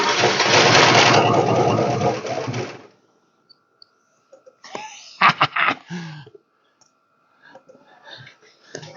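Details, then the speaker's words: 1969 Imperial LeBaron V8 off the road over 30 years, plugs refitted: runs rough and loud under three seconds then cuts out abruptly. Stalls after starting; owner suspects the supplied fuel ran out. "yeah I'm guessing Ain got go see how much fuel is in my fuel tank I might have burned all that up already"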